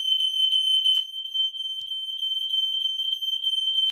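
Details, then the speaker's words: Ei146 smoke alarm on the landing, test button pressed: a loud, steady high-pitched tone for about four seconds, then a clean cut-off. The alarm is working. "hey guys we're gonna test the smoke alarm in the landing we got a ei146 so let's test it"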